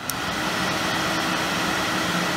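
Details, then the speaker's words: Suzuki Quad Runner ATV, thermatic electric cooling fan tested on the rewired handlebar switch: a constant whirring hum of steady pitch with no rubbing or rattle; battery voltage drops from 12.4 to 11.3 V with the fan on; normal running. "i've got the thematic fan i didn't try that while we were pissing around a moment ago you can hear that coming on and off"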